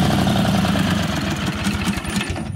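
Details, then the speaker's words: Ingersoll 448 riding tractor, Briggs and Stratton 18hp Vanguard V-twin, running without air filter: steady, even low thump, no stumbling; rough running was caused by restrictive OEM filter, smooth with STENS filter. "so you guys could hear how this engine sounded without the air filter at all it ran perfectly fine"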